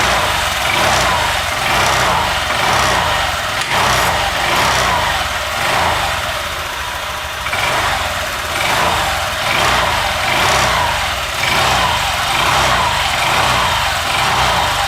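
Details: Honda Vario 150 LED (old) scooter idling after fitting a Cheetah Power TCI driver for the coil plus power-up feeding 12V to fuel pump and injector, standard settings: steady, even smooth buzzy exhaust note, no knocks or misses; engine healthy and settled.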